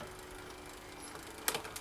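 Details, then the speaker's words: Bicycle rear derailleur after turning the barrel adjuster a quarter turn clockwise to reduce tension, shifting between the first two cogs: low soft ticking with a light clean click, no grinding; quiet, smooth shifting. "And now it sounds like that gear is operating pretty quietly and pretty smoothly."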